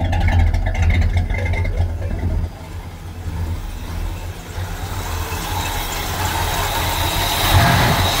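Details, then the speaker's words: 1976 Chevy Chevelle Malibu V8 with newly installed Edelbrock intake manifold and Edelbrock four-barrel carburetor, timing basically unchanged, warming up: deep, steady idle with slight lope and a blip; runs even, four barrels working, air mixture still to be tuned. "four barrels are working sounds good"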